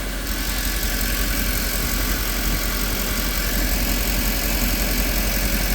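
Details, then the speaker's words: Mercedes E63 AMG V8 on a cold first start after swapping in a different wiring harness: uneven, stumbling idle with occasional dropped pulses. A couple of misfires remain on bank one. "Still a couple misfires on bank one at first start."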